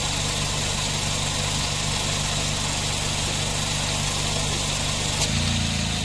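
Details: Nissan NV van A/C, previously loose compressor with poor cooling, high heat and leaks, after fitting a replacement part: an even idle with a smooth low hum and no rattle or grinding. The compressor runs quietly and cycles normally.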